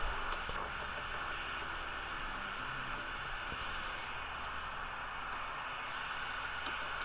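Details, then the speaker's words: Vintage Superstar 360FM CB radio; steady hiss with irregular crackles and pops as the volume knob turns; dirty noisy volume pot needing cleaning, mode selector also suspected dirty. "the volume controls are a bit noisy so we're gonna have to clean those up"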